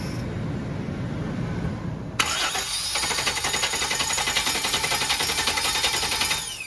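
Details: 1999 Chevrolet P30 5.7L CSFI, unknown history and not running: starter whirs at a steady cranking beat for about four seconds with no firing; spark present but fuel pressure low or absent; cranks, no start.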